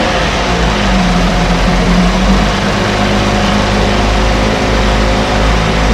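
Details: 1968 Evinrude Fastwin two-stroke outboard, run in a test tank with no work done; steady, even low burble with constant note, no knocks or misses; normal idle.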